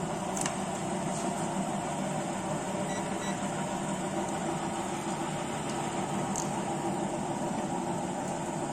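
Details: Three-phase slipring induction motor on 220V three-phase (about 215V), 30 ohm rotor resistance in series: quiet constant hum with faint whir, no rubbing, grinding or beating; running smoothly.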